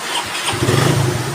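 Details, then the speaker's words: Suzuki Raider 150 motorcycle with hard-start complaint; starter and new start relay fine, battery charged: catches first try and settles into a quick, steady idle; battery was the problem. Normal start. "yan. So one start na. Ibig sabihin ang ating bateryang problema ito guys."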